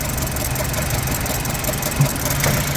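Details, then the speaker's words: 2007 BMW 1 Series 1.6 N45 after AC compressor and new belt fitted: barely holding idle, stumbling with exhaust pops, engine light flashing, jumpy below 900 rpm. Misfire persists despite replaced coil packs and sensors; cause unknown. "I put the um new belt on but as you can see the car's running like rubbish"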